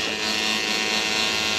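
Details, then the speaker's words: Schenker Zen100 solar-powered watermaker on its first test run: a steady, bright electric buzz with a faint rough hiss as the pump cavitates slightly on air trapped in the system during the start-up air-purge cycle. "vous pouvez l'entendre caviter un peu donc on a un peu d'air dans le système"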